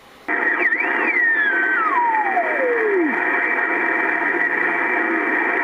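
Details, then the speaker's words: Ham radio receiver in a workshop, receive-only, one antenna switched between radios, grounded only via coax shielding: loud steady hiss with whistle sliding down in pitch while tuning, no signals; owner says partly atmospheric, suspects poor ground. "getting nothing getting a lot of a lot of noise but a lot of its atmospheric but there is not a very good ground in here"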